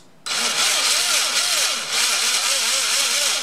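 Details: Used Trinity RevTech 24k 17.5 certified brushless motor installed in an AE B5M, after ESC recalibration for full throttle: clean whine sweeping smoothly up and down, no rattle or stutter; runs healthy.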